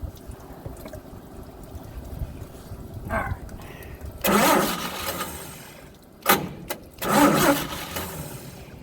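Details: Old truck engine, cranked with choke set: starter grinds in a few short bursts with no firing between them. Cause found to be the faulty original/old ignition coil, replaced with a borrowed one. Crank, no start.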